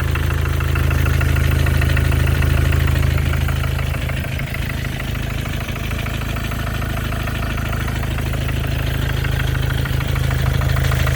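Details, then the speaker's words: 2014 Mercedes diesel, OM651 engine, 300k mileage, cold idle with the hood open: steady light tapping like a small hammer, about two to three taps a second, near the top of the engine by the biturbo; cause unknown. "как будто молоточком кто-то чуюхает."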